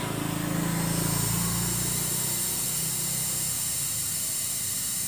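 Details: Samsung CRT television with picture but no sound (reported dead): steady high hiss with a faint low hum underneath, flyback-like noise growing louder over time; possibly a leaking capacitor near the flyback, not confirmed.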